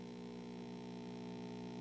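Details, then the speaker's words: 1960s Zenith MJ1035 AM/FM tube radio brought up slowly on a variac toward 120 V: steady low AC buzzing hum from the speaker, louder as voltage rises, volume down; suspected open filter capacitor section. "ah interesting we've already got a little bit of AC coming out of the speaker maybe you can hear that and it gets louder as we bring this up"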